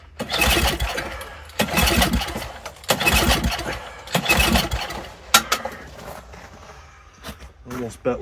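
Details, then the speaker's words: Old Toro snowblower that sat over a year, fuel turned back on, carburetor dripping; repeated rough pull-start bursts that catch briefly then die; engine flooded, pouring fuel, owner blames the carburetor. "It acted like it wanted to run there for a second, didn't it? Huh. We're just pouring fuel out."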